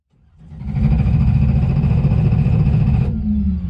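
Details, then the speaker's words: 1995 Camaro, naturally aspirated LS 6.0 with BTR Stage 5 cam and PRC 220cc heads: revs up cleanly, holds high revs a couple of seconds, drops back smoothly with no knock or tick; sounds healthy. "Sounds good, doesn't it? Huh? Sounds good. I don't hear nothing."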